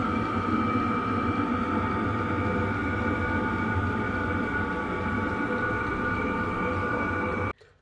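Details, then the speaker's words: Chinese diesel heater with new low-noise fuel pump at full output: steady even fan rush with faint soft pump ticking underneath; normal running, pump quiet, little difference from modified original pump. "Actually pretty low in comparison to the actual fan noise. It is there. I'm not sure there's a big advantage between the two, if I'm honest, at this stage."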